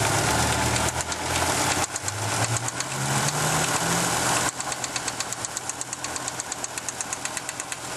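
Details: 1987 Audi 4000S, KX five-cylinder at startup idle with oil present: light rapid ticking over a lumpy idle that comes and goes; intermittent lifter tick suspected, intake taped over a leak, Seafoam planned.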